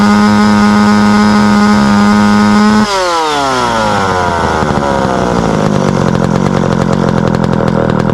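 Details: Small engine after rehydrating its dried-out carburetor fuel-pump diaphragm: strong steady high buzz, pitch slides smoothly down to an even low-speed run without stalling; running properly.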